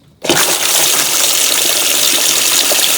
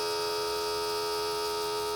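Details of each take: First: Boat bilge pump run with its hose disconnected: a steady rushing gush of water with no grinding or stalling. The pump moves water normally, so the owner suspects clogged hoses rather than the pump. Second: Boat bilge pump tested with water added to the bilge, newly wired with a fuse holder and switch: steady electric hum with a clean fixed tone and no sloshing. The pump runs but moves no water.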